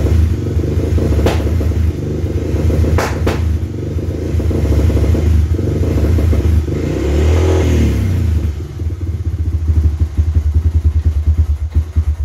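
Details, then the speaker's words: 2000 Honda 300 4x4 ATV that won't rev past about 1500–2000 rpm: the engine revs, then drops and stumbles with sputtering and backfiring at partial throttle; the mechanic suspects an electrical fault, such as the voltage regulator or CDI, not the carburetor or spark. "so just so you guys are aware when you hear that red and then just drops i'm not doing that i'm not holding it wide open but i'm also not cutting the throttle either so i really think it's something electrical"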